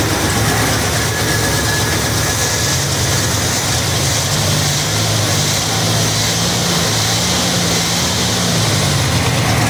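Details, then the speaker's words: 1968 Cadillac Deville V8 after negative battery terminal, wiring, cap and rotor repair for a no-start: steady idle, no misses, possibly running slightly rich from carburetor adjustment; runs fine. "okay so it's running um I was messing with the carburetor so it may be running a little bit Rich right now but it's running"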